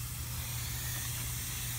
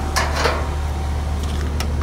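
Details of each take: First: R22 heat pump with the defrost board replaced: a steady, soft airy hiss with no rhythm at the pipework, refrigerant escaping at the filter drier joint; refrigerant leak. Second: HVAC compressor after defrost board replacement and reconnecting the forgotten common wire from compressor to contactor: brief click and clatter, then a steady low hum; compressor starts and runs smoothly, though a refrigerant leak was found afterward.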